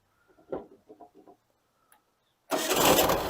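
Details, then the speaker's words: 1992 Mexican VW Beetle, carbureted with points ignition, single-outlet exhaust: quick start and a little rev; a few cranking chugs, brief pause, then it catches immediately and runs up strongly without hesitation, a well-tuned engine. "wow that started right up single outlet it started up immediately and without hesitation now that's what you call a well-tuned car"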